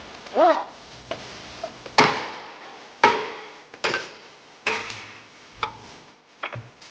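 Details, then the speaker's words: Car squeaking at about 10 km/h: worn ball joint rocked by hand gives irregular dry clunks and brief squeak; boots torn on both sides, grease leaked out and grit got in; new joint won't move by hand. "我就开了10几码，就叽哇叽哇响。这个声啊，8成是球头在响。"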